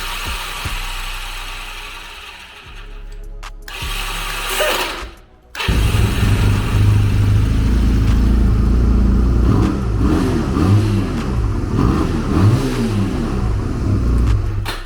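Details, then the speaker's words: 1986 Honda Rebel CMX250 barn-find bike, started with no oil in it and a part left detached. It fires only in short ragged bursts that rise and fade, never settling into idle; the owner suspects something internal. "yeah guys I don't know what's going on it's starting if it's something internally internally in the motor but it's firing up here and there so I guess this is a win"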